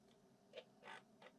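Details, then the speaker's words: Refurbished Amiga external 3.5-inch floppy drive reading a disk: quiet soft ticks and short head-seek chatter in bursts, no grinding; normal disk reading. "yeah it's reading the disc there we are amazing we've got two external floppy dries for the Amiga uh finished and ready to go"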